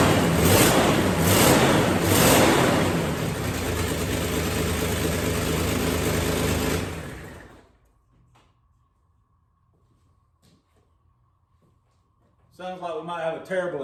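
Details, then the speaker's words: Old car first started after sitting untouched for five years on five-year-old fuel: a loud, raspy idle with a coarse puffing beat about three per second. There is a terrible exhaust leak, but it otherwise runs well. "Le but it started well aside from a terrible exhaust leak which I will fix it actually runs good"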